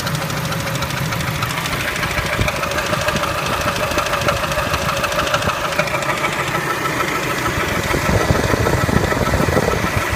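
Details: Spectra engine at idle: a light, somewhat uneven tapping of about three per second rides over a steady idle; engine knock, source not pinned down.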